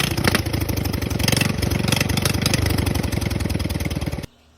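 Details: Rebuilt Honda GX270 single-cylinder, converted from gear reduction to stock crank with new coil, crank and side cover, on a Realtree RT200: quick uneven firing pulses and a few blips before cutting out; running fine after rebuild.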